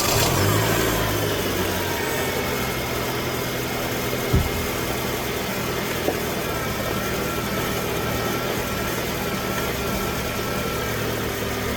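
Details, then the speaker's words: A 2005 Honda Accord K-series engine idles smoothly with no power steering squeal after the Dorman O-ring fix for air being drawn into the power steering system. "We've got no squeaking, no sounds. I'd say we're good to go, you guys."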